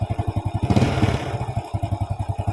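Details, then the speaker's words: Grand motorcycle after carburetor service and valve reset, kick-starts easily but electric start fails: lumpy uneven running that stumbles when throttle opens, not carburetor-related; ignition fault traced to faulty CDI, no stuttering after fix. "so this motorbike cranks easily to start, then when it starts, it stutters, like it's late for gas, but in my opinion, the condition of this engine is that it is stalling or struggling, not because of problems with the bpm or the carburetor, Bro."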